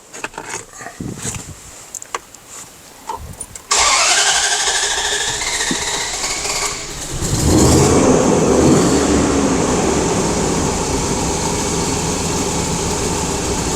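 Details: 2004/2005 Dodge Dakota after many parts were replaced elsewhere: starts after cranking into an uneven, lumpy rough idle; the scan shows large fuel trim corrections and no vacuum on this speed-density system; root cause not yet found.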